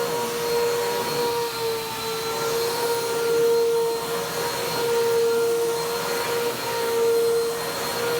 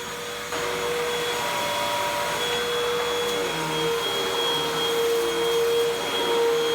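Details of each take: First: Vacuum cleaner, Bissell PowerTrack Compact 1808 or 2012 Hoover WindTunnel 2 Rewind, found discarded: dust blows from the motor, which gives a strained, wavering whine surging about every two seconds over a rushing roar; needs servicing. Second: 2012 Hoover WindTunnel 2 Rewind UH70820 vacuum: strong even motor roar with steady high whine, no grinding or surging; smells terrible but motor runs normally.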